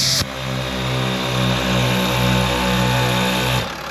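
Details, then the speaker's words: New ARB 12V twin compressor (CKMTA12) from an Agile Offroad kit on a 2019+ Sprinter van, switched on through the dash/AuxBeam switch and run as if filling a tire: it kicks on abruptly, hums steadily with even pulsing about four per second, then shuts off cleanly. Normal operation. "This would simulate if it was plugged into a tire, so you can hear you'll hear the compressor turn on right"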